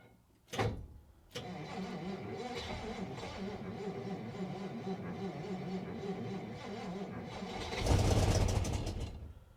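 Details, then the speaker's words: 1957 Dodge Texan, dormant since July 2023, first start attempt with starter fluid and jump box: labored, tired starter churning about six seconds then engine catches and revs; battery thought weak, starter suspected problem. "this starter is going to be a problem so got my jump box here we'll see if this can give it a little more juice this battery I think's a little weak"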